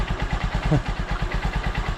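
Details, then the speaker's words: Honda Supremo after a small adjuster turn to fix hard starting: a steady, even idle of about seven pulses a second with no misses or knocks; runs clean. "na kondisyon k si Raptor at kung maririnig niyo ung kanyang andar napako"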